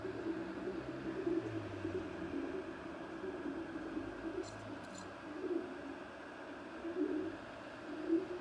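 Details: Creality CR-10S Pro: low, cooing squeak repeating about once a second over the extruder's quiet hum, present from new and getting worse; tightening and loosening the screws didn't help.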